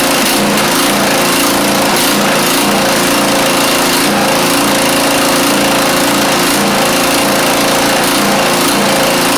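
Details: Craftsman YT4000 riding mower engine, first run, fuel freshness doubted, muffler in poor shape: fast running with rhythmic wavering about every half second, never settling; worn carburettor, rough running.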